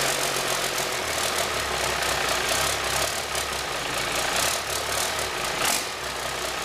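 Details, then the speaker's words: 1997 Cummins 5.9 12-valve, 960,000 km, idling with oil filler cap loose: constant rushing hiss and fast chuffing puffs from the filler; failed blow-by test, excessive crankcase blow-by. "She failed the blow-by test. Oh, that's too bad. So a million kilometers does do that to an engine."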